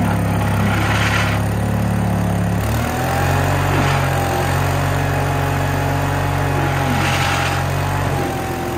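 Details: Case 1816C skid steer, sat in a barn 10+ years, moving after engaging clutch lever: steady engine drone dips briefly then recovers as it takes up drive; normal running under load.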